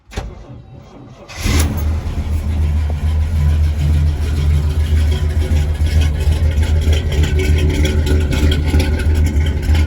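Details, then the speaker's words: 1983 Chevy K20 with an Edelbrock 600 CFM electric-choke carb, cold start at about 30°F after sitting a couple of weeks, with snow overnight. Brief crank, then it catches at once and settles into a steady, even idle. "Chevy K 20 it's about 30 degrees outside I haven't started it in a couple of weeks it's got a Edelbrock 600 CFM electric choke got quite a bit of snow last night try to crank it over"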